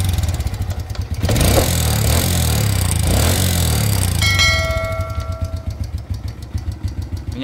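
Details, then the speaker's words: Motorcycle engine blipped twice: a rough mechanical top-end noise grows louder as revs climb; cause suspected but not confirmed. "maintenant, je vais accélérer. ça monte un peu."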